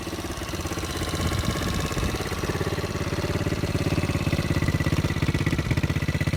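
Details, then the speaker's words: 125 four-wheeler quad, newly acquired and possibly rebuilt, needing a little more work; steady low putter with roughly even firing at idle and no knocking or rattle, a healthy idle. "She sound good, don't she? Yeah, she sound good. I gotta do a little more work to it though, but she sound good though, man."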